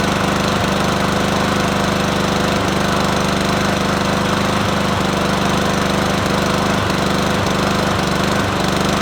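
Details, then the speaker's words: Free Troy-Bilt TB110 push mower, 550EX 140cc engine, previous owner replaced carburetor: loud steady speed but lumpy with irregular stumbles every second or so; running rough, cause unclear. "that sound awful"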